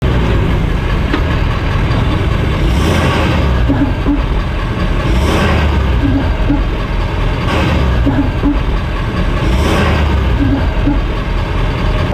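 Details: 2018 Ford F-250 Super Duty, 56,000 miles, stock rear suspension: dull clunks every couple of seconds at the slip yoke over engine and road rumble, worst stopping and accelerating from a stop; owner plans to inspect driveshaft splines. Cause unconfirmed.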